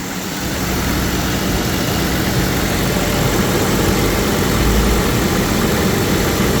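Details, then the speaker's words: 1997 BMW 750iL 5.4 V12 first start after valve cover gasket replacement: loud, smooth, steady idle with even low hum and no knocks or stumbles; engine running normally, though a fuel leak was spotted afterward. "So far, I don't see anything. Sounds like she's running."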